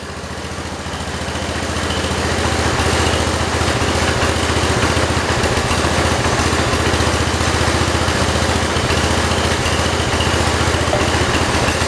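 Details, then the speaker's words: 1968 John Deere 112 with Kohler engine, air filter fitted: low lumpy uneven single-cylinder idle around 220 per minute, stumbling; air filter upset the carburetor fuel mixture adjustment. "air filter messed up my fuel adjustment"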